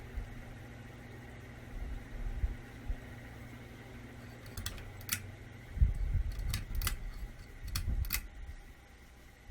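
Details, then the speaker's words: Old ceiling fan on low speed, after cleaning and greasing its crunchy bearings and rebalancing the blades: only a faint low hum with a few light clicks and no rhythmic crunch or rumble; much quieter than before, normal running. "Low is where it was annoyingly had a rhythm. It's pretty dang quiet."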